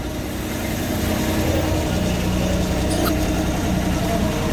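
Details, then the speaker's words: 2000 Honda Civic VTi automatic, warm, after shift-cable adjustment: a smooth, even idle with a steady low hum and no misses, settled at about 900 rpm, rising slowly. Normal idle. "Boom! O na 900 talaga oh. Tumataas nga siya dahan-dahan ano? Oo. 900 >> 900 is good."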